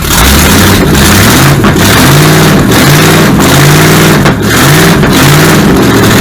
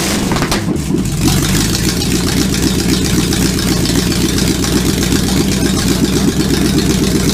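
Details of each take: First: Supercharged V8 in a 1959 Vespa microcar, ignition timing being advanced further: loud, uneven surging with a rough lumpy beat, getting much closer as timing advances, until it runs out of gas. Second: Supercharged V8 in a 1959 Vespa microcar, first-ever start attempt: catches after a short crank and settles into a steady, gruff rumble with light throttle blips; runs evenly with no misses, normal running.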